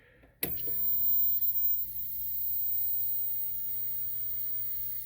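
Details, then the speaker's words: 1970 Packard Bell 98C22 hybrid colour TV chassis on a test jig: a sudden loud hiss or squeal as the high voltage comes up, holding over a low hum; a tube shorting and arcing, with a 3A3 tube identified as the problem. "okay and you hear the tube squealing so let's try let's get this out of circuit first right just just for oh that thing sounds like it shorted"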